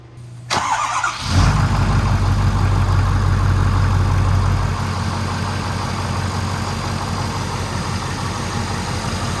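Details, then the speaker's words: 2011 Ford F-350 single cab, 6.7 Powerstroke diesel, first start right after installing new intercooler piping: short crank, then a deep, steady idle much louder than before, said to sound like a 6.0. No knocks or misses, a normal start and idle. "yeah it made the engine it made the engine sound like way louder it's like it sounds like a 6-0 under that"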